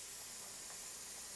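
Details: Pressure canner with its vent pipe fully open: a steady, even hiss of steam with no sputtering, the point at which venting is timed for 10 minutes.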